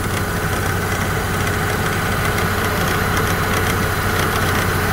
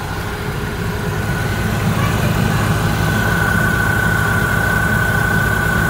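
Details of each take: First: Opel Astra G idling with AC and fan on maximum for electrical load: uneven metallic rattling chatter from the ribbed V-belt drive, loudest near the wheel, as the old, slack tensioner visibly shakes; the tensioner needs replacing. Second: Opel Astra G after replacing the faulty multi-rib belt tensioner, idling with AC on and fan at maximum for electrical load: even idle, no chirp, squeal or tensioner rattle; belt drive now quiet and fixed.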